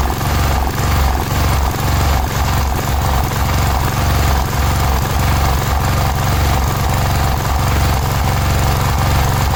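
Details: Cub Cadet 1106 riding lawn tractor (1987; listed as 1986), sat over 4 years, bottom carburetor adjustment screw ineffective: deep, uneven idle beat that surges and sags. Rough, unsteady running; old fuel through fuel line suspected, not confirmed.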